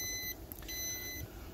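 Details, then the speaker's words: 2002 Four Winns Horizon 180 with a Volvo Penta 4.3 GL engine, ignition on and engine stopped: steady high beeps about half a second long with short gaps. This is the normal alarm for no oil pressure yet; the continuous-beeping fault was later traced to a failed temperature sensor. "also the beeping alarm it's going off right now because there's no oil pressure there's an oil pressure sensor it's way over here"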